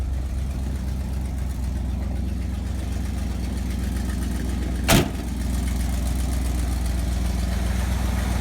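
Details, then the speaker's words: Chevy Cheyenne C20 Trailering Special, carbureted, started after a couple of pedal pumps: low, loping, uneven idle with one sharp pop. It runs well at speed but sputters and wants to die at idle despite the owner's adjustments. Owner thinks it has a cam. Rough idle. "will run good at speed in that throttle but when it comes to idle it'll just want to sputter and die and I've tried messing with it and just doesn't some seem to want it run right"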